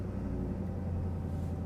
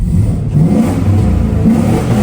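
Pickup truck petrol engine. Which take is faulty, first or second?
first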